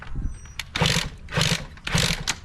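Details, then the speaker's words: 2003 Kawasaki KX60 dirt bike engine, which may not have run in a long time, coughs and sputters in ragged bursts about every half second as soon as the choke is turned off and cannot hold an idle; stalls with choke off. "See, as soon as I to turn the choke off, it does. So, that's an issue."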